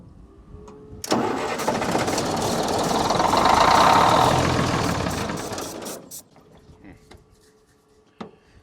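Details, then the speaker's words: Military truck cranked while its fuel pumps deliver no fuel at all; ether had been put in the air breather. Steady cranking at about four beats a second for five seconds without ever catching. Crank, no start, no fuel delivery. "you know these fuel pumps hardly ever go bad you're right look how loose that in but no fuel coming out of them at all"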